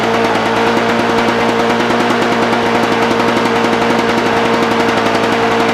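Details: Lawn Boy push mower returned again with no spark (spark comes and goes), dried off, now started: rapid, crisp, even firing beats with no misses or sputter at steady speed; running clean.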